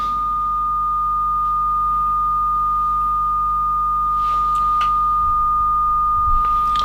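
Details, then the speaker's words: Kenwood TS950S transceiver under fault hunting, with cold spray applied to a module while the calibrator signal is received: one unbroken steady tone with faint clicks behind it; reception continues normally and the fault is not reproduced. "I first apply some cold cold spray or ice spray and apply it to the tox module the calibrator you can hear it is received and now I apply the code nothing nothing happens"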